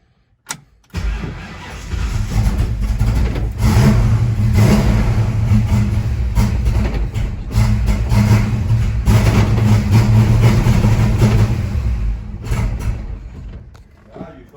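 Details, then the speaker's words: Ford Mustang Mach 1 with a bigger borrowed coil fitted, choke plate open: cranks, catches, runs unevenly about ten seconds, sags and dies; cause later found: vacuum-advance screw shorting the points. "i tried she doesn't want to run it seems better with this coil but something else is still going on"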